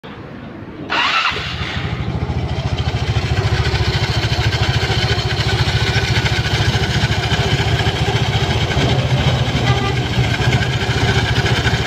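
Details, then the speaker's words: Yamaha Mio Sporty scooter, stock, idling with a loud rough CVT rattle; on teardown the front pulley face is worn hollow instead of flat and the roller housing is worn, with a seized bearing, traced to an oversized shim ring fitted on the rear pulley. "Oke jadi Kenapa suara berisik Yang tadi itu setelah dibuka ya yang pertama kita ini boleh depan itu [Musik] [Musik] harusnya rata tapi ini bolong ini jadi ini aus terus rumah rollernya juga haus"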